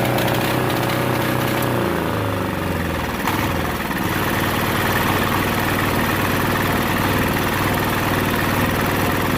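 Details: Yanmar 186F clone 10 hp single-cylinder diesel salvaged from a generator, stored about two years, cold start with compression reliefs set and fuel wide open: starter grinds, catches within seconds and settles into a fast, even chug at full throttle.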